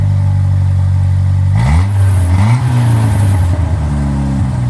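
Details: 1997 Jeep Wrangler 2.5 with new front pipe, MagnaFlow cat and Flowmaster Super 10: deep, steady four-cylinder burble rising and falling cleanly with several throttle blips, no rattles or leaks; exhaust healthy.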